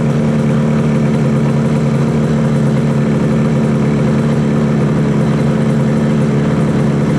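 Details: 1968 Yamaha YAS1C 125 twin after carb sync and timing work, air screw at 1 3/4, both sides equally warm: steady smooth low drone, no hunting or dropouts, cylinders pulling equally, normal idle.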